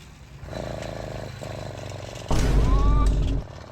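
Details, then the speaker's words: Alibaba 70cc two-stroke motor kit on a bicycle, bump-start with the carb 10% open: faint uneven putter, then about a second of rough, loud popping that dies away. The engine barely fires and won't keep running; owner suspects the spark plug, not confirmed. "Okay, as y'all just heard, that mug got a little life in them, but you know what that sound like? Sound like it might be spark plug, so let's give it another run."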